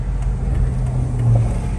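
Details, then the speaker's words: Jeep WJ Grand Cherokee 4.7 V8 after fixing a high idle (idle air control code, possibly P0462) and the gasket. Steady low rumble at a stop, with rpm holding normally and no hunting or surging. "the gasket is working it's going to empty now where it should be and the rpms they stay good"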